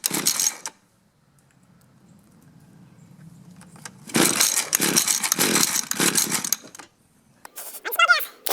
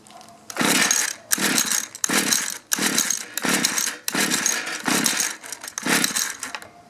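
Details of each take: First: Mantis mini tiller 2-stroke, half choke, low-speed screw turned out half a turn: brief cough, then catches and buzzes unevenly through throttle blips; starts and runs. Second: Mantis mini tiller 2-stroke, sat in barn about 10 years, run on 40:1 mix: about seven quick pull-start bursts with no firing; fuel confirmed, bad ignition coil.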